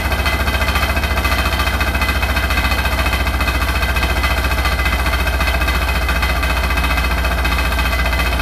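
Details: Hotpoint NSWR843C washing machine on its final 1200rpm spin: a fast, steady drum roar with a heavy, even rattle throbbing about 214 times a minute; something is loose and rattling really loud, cause unknown.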